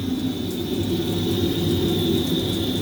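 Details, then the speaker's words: Tabodd 32 kW portable outdoor gas water heater tested after it banged with flames from its side: steady flame roar with a smooth rushing hiss and faint even whistle, no popping or surging; normal burner operation. "So it's sparking right away and you see it trying to light up. So all being well now, put the gas on, so it should boot up."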